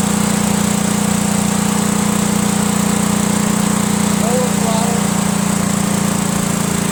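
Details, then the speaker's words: Cub Cadet garden tractor, Kohler Command single-cylinder engine, fuel pump bypassed with a tank gravity-feeding the carburetor: holds a steady, even beat at constant speed without surging or stumbling; runs cleanly, pointing to a probably faulty fuel pump. "we're gonna have gas gravity-fed right into the carburetor so it should be getting plenty of gas and we'll see if it works"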